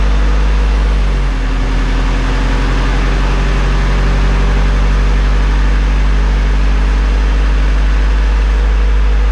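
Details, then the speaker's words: Rebuilt Honda Civic Si after a new ignition coil, not yet filled with coolant. It starts instantly with a deep, even idle that runs a little rough at first then smooths out; normal idle. "Got her fired up, put the new coil in, it was just instant, as you saw. Ran a little rough at first, smoothed itself out, sounds awesome."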